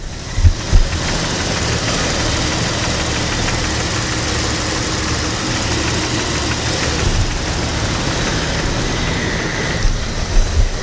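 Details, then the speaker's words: Engine with misfire codes P0300 and P0304, running rough after the spark plugs were replaced again, still on the old coil pack: steady idle with a dull, slightly uneven knocking deep inside the engine; cause not yet pinned down. "It's like a knocking sound inside the engine."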